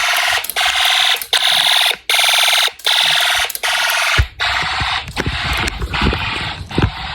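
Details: Snap Circuits fire alarm system, test 8, zone one triggered, horn on constant and strobe set: harsh buzzing horn blasts about 78 times a minute with short gaps. Fire alarm zone activation.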